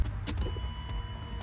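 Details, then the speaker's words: 1993 BMW E36 M3, abandoned, key on after installing a new fuel pump: faint, steady electric hum for about a second as the pump primes normally. "We got fuel pump. I'm going to finish putting that back together and we're going to get some gas and see if it fires up."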